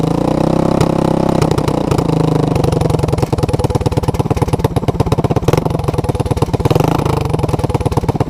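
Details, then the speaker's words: Honda ATC200S with a new clone carburetor that starts easily but runs poorly; the owner suspects vacuum leaks or a contaminated carb. Warmed up after a cold choke start, the single-cylinder idle thumps fairly steadily but wavers and stumbles; much better, but the carb still isn't right. "so okay it's warmed up and it's idling i'd say it's a hundred times better but i'd also say this um this carburetor is not what it shoul"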